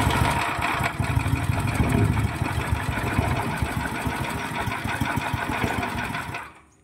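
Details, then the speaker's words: 9 HP General Powell CX 270 petrol engine driving a horizontal dough mixer, first pull-start on choke with little fuel: uneven, lumpy chugging around three beats a second then dying; throttle too low, needs raising. "Gasnya kurang besar guys. Kalau mati gasnya besarin lagi."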